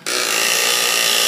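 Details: Driveshaft demonstration rig with angle but U-joints set parallel at constant speed: a steady, even high whir holds one pitch with no pulsing or wobble, so the shaft spins smoothly without oscillation.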